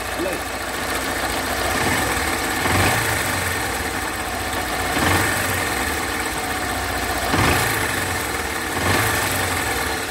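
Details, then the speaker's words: Honda Fan 160 single-cylinder at idle; busy ticking clatter over a steady idle, top-end rattle traced to worn rocker arms (rocker bearing): worn rocker arms. "tem um vídeo aqui ó calma aí tem um vídeo pra vocês ver como é que tá o barulho dela"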